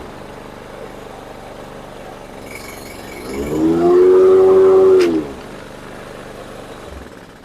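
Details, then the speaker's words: Toro Super Recycler SR4 mower before repair: engine runs steady, then the blade hum swells in slowly, showing slow blade clutch engagement. Blades stall in high grass; the owner suspects clutch cable adjustment or the clutch belt. "You can hear it going from just an engine run until the blades run, and you can see that the length of time it takes. So I'm thinking it's probably going to be either a cable adjustment or the belt that goes around the clutch there."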